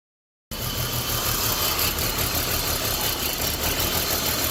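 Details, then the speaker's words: 2006 BMW 325Ci at idle with a P0300 random misfire: an uneven, shaky stumble of about three pulses a second, with cylinders 2 and 4 misfiring. Coil 2 is weak, but the cause is a damaged oil separator giving excessive crankcase pressure and a vacuum leak. "however the cause of the misfire on this vehicle is not the coils granted coil number two it weak however the problem we are having here is excessive cranking pressure the oil separator is damaged on this one and is not regul"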